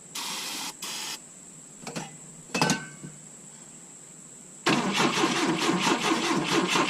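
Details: 1972 Volvo 145 on rigged fuel with vacuum ports plugged: short starter bursts, then a long uneven churning crank that never catches; hard starting because plug wires were off.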